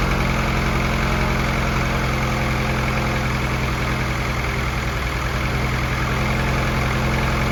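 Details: F24 newly built motor, first start-up run: smooth even low idle with a steady pulse, no ticks, knocks or misses, no leaks; freshly built engine sounds healthy, valve lash to be checked after break-in.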